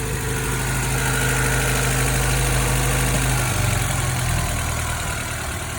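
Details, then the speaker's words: B18C-swapped Honda Civic EG idling high at 1500 rpm with no vacuum leaks; unplugging the idle air control valve drops it to a normal 1000 rpm idle; fix is cleaning the valve. "cars currently idling at 1500 RPM after checking absolutely everything around the car to make sure there was no leaks I then checked the idle control valve now watch this"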